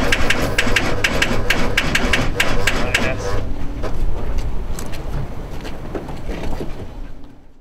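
Quick, even cranking at about four beats a second runs for three seconds, then dies away without the engine catching: a no-start.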